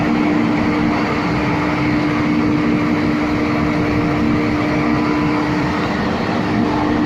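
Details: MAN 700 kVA diesel gensets with auto synchronising, running on a routine warm-up after an automatic start; loud steady even roar at one constant tone with no knocks, surges or hunting, healthy running.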